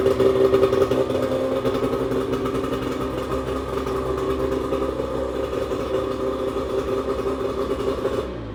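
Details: 1996 bass boat outboard, after cleanup (earlier it ran on one cylinder and leaked gas), settles into a steady, even hum with no knocks or misses, then shuts off cleanly; normal running.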